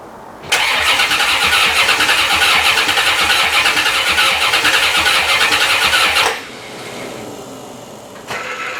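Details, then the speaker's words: 1990 C4 Corvette, reassembled after five years apart for a blown head gasket, no coolant yet: steady rhythmic cranking about three turns a second for six seconds, never catching; tries with starting fluid, no fuel from a fuel pump not working. "it should start uh but it's just turning over and when i spray it with starting fluid it tries to start that made me suspect that possibly it's getting no fuel"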